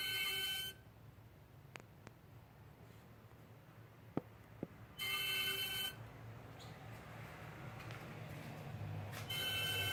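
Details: 2013 BMW 535i M-sport, 26,400 miles, parked with engine off for 20–30 minutes: short shrill whistling bursts from the engine bay, caused by the failing AC compressor; the noise was gone after the compressor was replaced.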